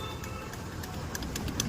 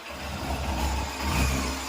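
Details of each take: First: Bajaj Pulsar NS motorcycle at key-on: faint light ticks about three or four a second over quiet hiss; the self-starter motor has failed. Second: Yamaha FZ-S motorcycle: deep steady exhaust note rising and falling with two throttle blips, pulling cleanly without knocks or rattles; engine sounds healthy.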